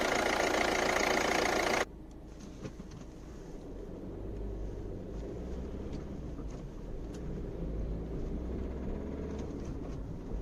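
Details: Volvo C30 D2 1.6 diesel: low drone with scattered metallic rattles and ticks on acceleration at a specific rpm; owner attributes it, like the brief cold-start knock, to bad injectors.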